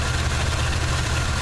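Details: 1979 Chevy truck with a 350 V8 and automatic choke: a deep idle rumble with an uneven, lumpy exhaust beat, a misfire at idle. Compression and bottom end are sound, and the plugs are clean with no oil or fuel fouling. Cause not found.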